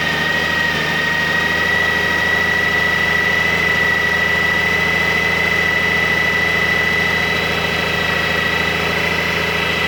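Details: 2002 Honda Goldwing GL1800, odometer around 111,000, cold start: smooth, even idle with a faint steady high whir from the timing chain, not the alternator drive gear. Normal for this engine; the bike runs like new.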